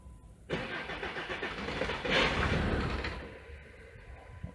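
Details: Jeep diesel with BP 36 injection pump, after a bad battery-cable connection: starter cranks, engine catches and revs about a second, then fades and dies; owner says it comes alive and is killed by the PCM.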